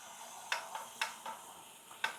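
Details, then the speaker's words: Water-powered backup sump pump float valve being tested as water fills the sump pit: sharp metallic clicks, three strong and a few softer, against a quiet room as the float rises; float valve trips normally. "because this float needs to get all the way up here. As you can hear that click."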